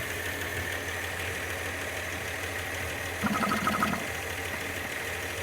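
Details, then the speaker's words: Engine just rebuilt with head gasket, reconditioned head, water pump and new hoses; uneven, irregular pulsing idle with a rougher burst midway, vacuum leak suspected, carb secondary found full of fuel/broken: rough idle. "is there a vacuum leak somewhere do you think no it's running a bit rough"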